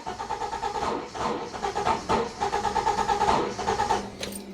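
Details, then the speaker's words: Citroen XM 3.0 24V with a new starter and new radiator, nearly impossible to start when the engine is hot; slow, uneven cranking with the starter jerking as if hitting something; owner suspects hot timing is off or overfueling as if cold, unconfirmed. "You could hear that suddenly the starter sort of hit something. Maybe the timing is not correct when the engine is hot, or it's just overfueling because it thinks the engine is cold."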